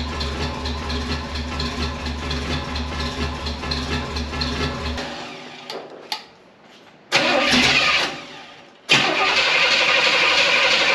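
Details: 1978 Pontiac Formula Firebird 350 V8, field car revived after 21 years; Holley carburetor dumps fuel, poor atomization despite good vacuum and lowered float. Cranks, fires, runs ragged, fades and catches twice, keeps stumbling. Rough running from flooding carburetor.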